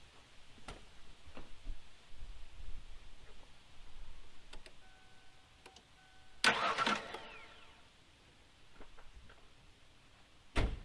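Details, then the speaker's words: 1993 or 1994 Ford Aerostar 3.0 V6 after sitting 15 years, starter solenoid just replaced after it only clicked; short burst of cranking with no lone solenoid click, starter turns engine properly. Normal starter cranking, fixed by new solenoid. "that is awesome I am so glad it was the solenoid awesome"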